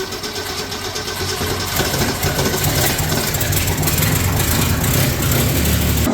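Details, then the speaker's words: 1965 Mercury Comet Caliente, not run in 10 years, run on fuel fed into the carburetor after its timing was retarded slightly; it catches and settles into an even run with no knocking, clatter or banging, so the engine is judged probably good. "Well, no funny noises, no clatter, no banging, no hammering. At this point, I'm going to say the engine is probably good."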